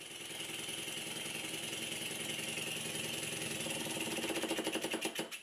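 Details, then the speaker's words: Stuart 10V steam engine before rebuild, run on compressed air: chuffs three to four a second over steady hiss; under flywheel load, little power, knocks badly, air escaping at part of the stroke. "when I apply any pressure to the flywheel there clearly isn't much power and the engine knocks badly and it doesn't run very well slowly either"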